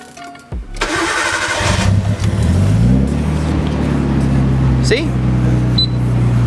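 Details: Nissan R32 Skyline started: cranks, catches and settles into a smooth, even idle with a steady low hum and no hydraulic lifter tick this time; owner expects the intermittent tick to return.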